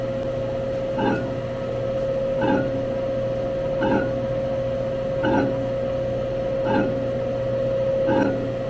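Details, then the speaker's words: Rewired motor on an old saw, running geared down at low speed: steady hum with a soft scrape about every second and a half; the owner suspects a part is hitting the casting at the back. "let's see if we can straighten it up I got a feeling it's hitting the casting back there in the back"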